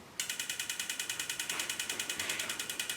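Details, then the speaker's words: Turbocharged 4WD Austin Mini GT-Four (Project Binky) before its first crank: each of the four injectors is fired individually from engine-management software. Crisp, rapid, evenly spaced ticking with nothing else running; the injectors work properly. "now that we know the injectors and coils are working the next job is to crank it over and make sure there's oil pressure"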